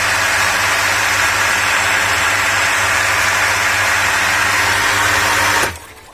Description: Неисправность в работе водяного насоса проявляется характерным звуком, свистом... / Это указывает на необходимость заменить сальник торцевое уплотнение.